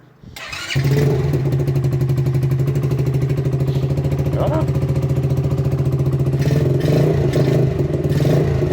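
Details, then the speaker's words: Yamasaki motorcycle small engine running unevenly after battery fix, ragged beat that never settles; choke ineffective; owner suspects carburettor adjustment or an air leak; rough running. "bon ça fonctionne plus ou moins temps donné comme starter ne sert à que dalle un problème de réglage carbu j'imagine"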